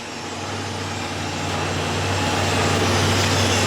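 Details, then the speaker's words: 2006 Chevrolet Impala 3.9L idling after a new cat-back exhaust replaced the broken, fallen-off old one, clamps checked. Steady, even low rumble with no puffing or ticking; no exhaust leaks. "the car's running right now and you can't even hear any exhaust lakes now so before the old one was broken right here"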